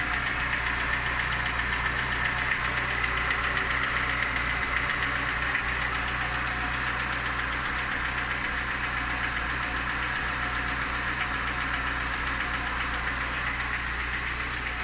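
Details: Lada Niva engine at idle: light, fairly regular knock about four times a second over a steady idle; source not identified.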